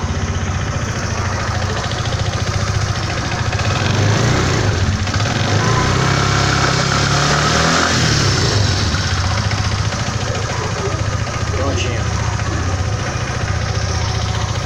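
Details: 2012 fuel-injected Suzuki Burgman 125 scooter idling steadily after its pulleys were greased for lack of lubrication: low even putter with a brief light rise in revs.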